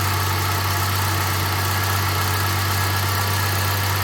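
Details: 1984 Jaguar XJS V12 after Auxiliary Air Valve rebuild (new spring, piston), freshly started cold: steady, smooth hum at raised idle, no misses or hunting; normal cold fast idle, expected to drop to slow idle once warm.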